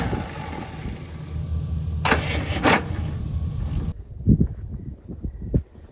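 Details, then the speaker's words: 1975 Jeep Wagoneer revived after nearly a decade sitting, started with shot of gas: runs rough then cuts out, then slow labored cranking that won't catch; original battery junk, won't charge or jump. "All right, well, it became clear that this whole battery is junk and is not going to charge and not even going to work trying to jump it with the truck."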